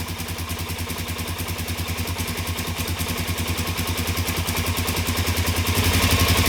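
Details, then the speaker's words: 2017 Suzuki DR-Z400S improperly stored with fuel left in carb, carb primed: uneven single-cylinder beat, three to four pulses a second, slowly picking up, lean and struggling; fuel screw to be set to three turns. "i think i need to go to that three turns on the fuel screw so i'll do that off camera with my special tool"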